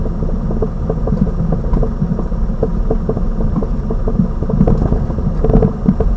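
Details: Lada Vesta Cross, left front strut replaced under warranty but knock remains on the right, recorder aimed at the strut mount, over bumps: sharp irregular knocks over low rumble; front suspension knock, cause unconfirmed.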